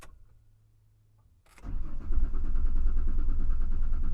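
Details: 2001 Ford Explorer Sport on a cold 46°F morning, accelerator floored: starter cranks in a fast, even churn about three beats per second but never fires; owner suspects a weak fuel pump when cold.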